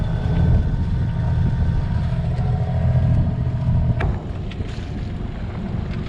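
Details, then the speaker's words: Sailboat diesel engine leaving Port Grimaud in February 2023, after days of repair attempts, idling with diesel topped up and no overheat alarm: the chugging beat sags and keeps slowing right down; cause unknown. "I don't know if you can hear, but the engine's doing this like weird thing where it's just like it's not overheating, but at the same time it keeps slowing right down."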